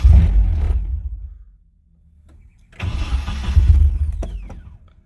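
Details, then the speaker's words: Nissan 240SX, third start attempt after idle air control valve adjustment: brief catch and rumble that dies, then another short run that fades; won't hold idle because the throttle body's idle screw is missing. "okay still won't idle but we're getting really close to being able to idle so this is good"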